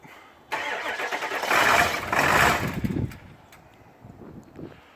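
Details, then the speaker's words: Diesel truck started at about 20 degrees after fixing it, relay heard clicking: quick crank, catches and flares about two seconds, then settles to an even idle; clean normal start and idle, left to warm up. "I can definitely hear the relay working. That's a good thing. Woo! Success!"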